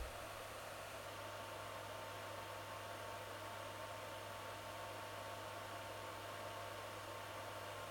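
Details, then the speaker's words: Voxelab Aquila 3D printer's stock 60x10mm power supply fan, heard after the hot-end and motherboard fans were swapped to quieter 40mm fans: a steady airy whoosh with a low hum when it kicks in; a loud PSU fan, to be replaced with a silent 60x10mm 12V fan. "what's happening is once the psu fan needs to turn on to cool down the psu it is extremely loud or i guess more noticeable because the other two fans were already so loud together it wasn't so bad but now it's actually quite noticeable"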